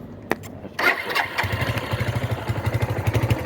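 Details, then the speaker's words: Suzuki Marauder 250 cruiser after a carb rebuild, with the choke cable failed and disconnected: it catches after a few cranks into a lumpy idle, hesitates off idle and is slow to return, with black smoke; over-fuelling. "The idle takes the idle takes a while to get back down. So once you're off idle, it goes, but hesitation there. It still sounds like [ __ ]"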